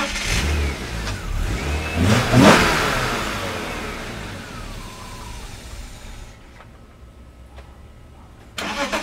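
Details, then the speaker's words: 1997 BMW E36 M3 with 120,000 miles: inline-six starts into a lumpy cold idle; oxygen sensor, MAF sensor and PCV vacuum tube were ruled out without fixing it, cause still unknown. "and for the third time this rough Idol has defeated me it wasn't the oxygen sensor wasn't the mass airflow sensor it wasn't that PCV valve vacuum tube"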